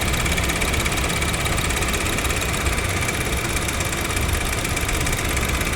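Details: Honda Jazz GK idling with AC on, mic moved close to the AC compressor clutch; rough, gritty whirring hiss and rumble that quietens when revved; mechanic suspects the compressor clutch bearing, not the compressor, plans to replace the clutch; AC compressor noise.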